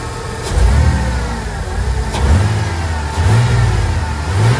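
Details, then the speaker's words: 1999 Ford Econoline 4.9L inline-6 that stalled at idle, no check engine light, after MAP sensor replacement: quick throttle snaps rise cleanly and settle to steady idle with no stumble or stall; healthy throttle response. "We still at our value and it runs extremely smooth, too. The port was trying to stall. Now it runs amazing. Snap throttle."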